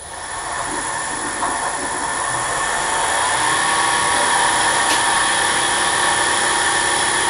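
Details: Drill-press mill spindle refitted with its original SKF roller bearings, run up briefly before cutting. Smooth, even hiss and a steady high whir with no knocking or grinding. Sounds as it should: a normal spindle run.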